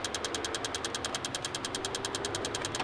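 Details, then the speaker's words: Cadillac CTS-V port-injection Microsquirt ECU after repair of its bad injector driver (channel 2), in output test mode: crisp, even injector clicking at about three per second. Driver working again. "we can hear the clicking we are back in business"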